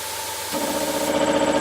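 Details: Ash Air SF302 3HP single-phase, low-rpm cast iron 3-cylinder piston compressor, 16 cfm, continuous-run mode: quiet hiss, then the pump reloads with a steady hum and even chatter that holds, without cycling the motor; normal reloading.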